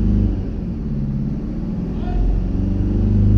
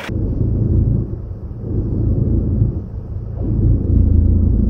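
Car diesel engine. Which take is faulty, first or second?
second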